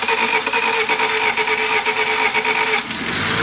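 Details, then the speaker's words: 1991 Honda Civic started after more than 10 years sitting, on a jump pack with the battery dead, no coolant in it: even cranking for under three seconds, then it catches and runs smooth; normal crank and start. "Hey, dang! It runs smooth. Nice."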